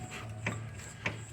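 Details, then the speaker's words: Chevrolet Corsa Montana with hydraulic steering, wheel rocked by hand: two sharp metallic clicks from play in a worn control-arm ball joint; car had strange noise and wheel wobble climbing hills; steering tie-rod end also suspected. "tem uma folga entre esse pivô e eu pensava que era esse pivô aqui é da da direção sabe do terminal também ele estraga mas não é só ele é isso aqui ó olha só viu ele tá fazendo barulho tanto esse como o outro também"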